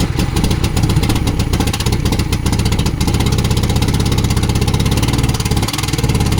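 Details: 1972 Volvo 145 four-cylinder after reconnecting missing plug wires: loud, rapid, slightly uneven idle pulses on all 4 cylinders, running surprisingly well but rough from a major vacuum leak.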